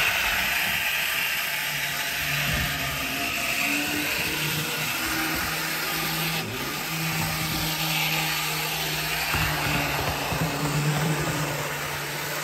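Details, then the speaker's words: Older Bachmann GP40 locomotive, CP Rail, after cleaning and lubrication, lapping loop: loud buzzing gear whine rising and falling with speed; owner suspects noise vibrating through body shell. "so I had a sneaking suspicion that all that noise was basically just vibrating through the sh"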